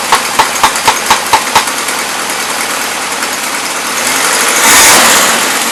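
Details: 1977 Toyota Celica, Weber carburetor: irregular sharp ticks about twice a second, then a rising roar as it stumbles; carb running rich and loading up; small exhaust leak.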